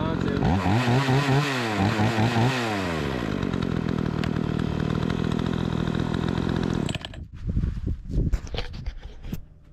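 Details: Free Remington 46cc chainsaw, sat a season, after new fuel line and carburetor cleaning, oiler confirmed working: snaps through quick throttle blips, then holds a clean high rev; normal, crisp revving.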